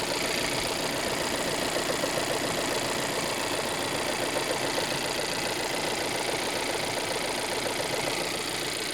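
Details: Volvo 1.5 T3 petrol engine idling: steady, regular knock of roughly two or three beats a second. Engine knocking at idle.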